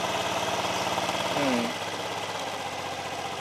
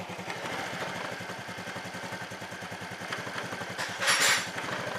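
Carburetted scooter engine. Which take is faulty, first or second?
second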